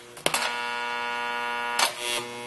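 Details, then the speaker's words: NuTone IM3003 radio intercom master station on a bench with inside and door speakers: click as Door Talk is pressed, then the background hum grows louder, steady and even while held; loud hum fault. "so the hum right now is present doesn't sound horrible but watch what happens we push door talk"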